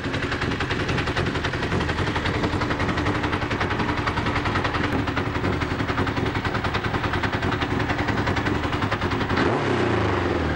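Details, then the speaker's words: Honda CBR1000F, a landfill restoration bike, running after reassembly: loud, fast clattering rattle about three or four beats a second; something mechanical is loose and the cause is unknown. "there's one final fly in the ointment which is in the form of the engine developing a very disturbing worryingly alarming [Applause] loud rattling noise"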